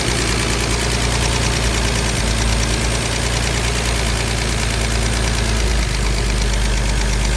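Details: Mercedes W114 280CE with starter fluid sprayed to test: lumpy, uneven idle with wandering beat, note sagging and recovering; rough idle, cause not yet found.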